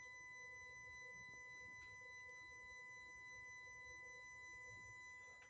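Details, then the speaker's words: 2014 Ford Focus MK3 1.6 TDCi 95 hp whose battery drains to zero; with battery connected and everything off, a constant high-pitched electrical buzz shows a continuous drain; suspected short from flooded BCM connector C6, washer pump the probable culprit. "cały czas brzęczy cały czas brzęczy co świadczy o tym że cały czas drenuje akumulator czyli prostu bierze i ściąga z niego ampery"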